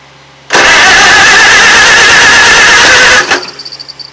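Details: 1940 Farmall H tractor, first start in a number of years on a temporary fuel tank: a brief whirring crank, then it fires readily and runs loud and even for about three seconds before winding down; normal start.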